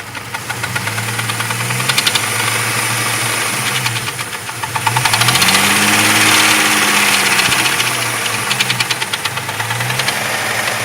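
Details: Jeep 4.0 inline-six, hot engine: sharp steady knock about four beats a second at idle, rising with each rev.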